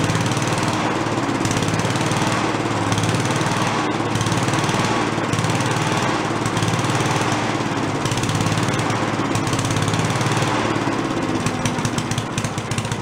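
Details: Late-70s/early-80s garage-sale Giant Vac walk-behind leaf blower, primed, first run: steady high-revving two-stroke buzz at full throttle without stumbling or surging; carb lacks an idle circuit, so it won't idle.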